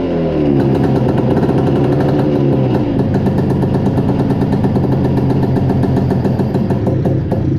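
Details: 1972 Arctic Cat Panther 340 two-stroke snowmobile starting after long storage, with a loose exhaust: a loud, ragged note whose pitch wanders and surges, and it won't hold idle; rough idle; owner suspects flooding rather than running lean.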